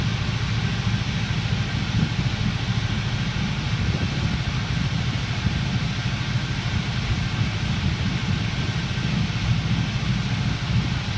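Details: Deep uneven lumpy idle from a 400SS during an induced misfire test, consistent with a cylinder dropping out.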